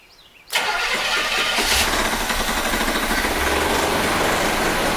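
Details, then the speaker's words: 1975 C3 Corvette V8, first start after sitting since the 1980s, started from under the hood: rough idle with light fast ticking from the cooling fan hitting the shroud; carburetor also leaking. "so that ticking you here is the fan hitting the shroud"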